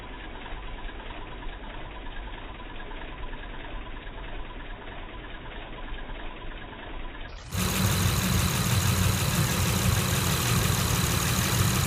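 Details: 2006 Honda Accord V6 manual idling with a slightly uneven, stumbling beat from a small misfire; spark plugs and coil replaced, EGR, manifold and throttle body cleaned; crank sensor suspected.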